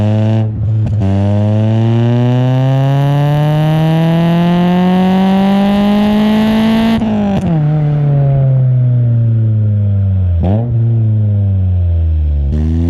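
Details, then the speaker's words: 1999 Nissan Pulsar SSS N15, stock SR20DE with pod filter and aftermarket extractors: loud engine pulls up the revs, drops back, raspy edge with pops on lift-off; exhaust leak from cracked extractors. "there is a slight crack on the extractors, and it's causing an exhaust leak, and you can hear it when you're driving. It has a little bit of a like kind of sound to it, and yeah, it doesn't sound great."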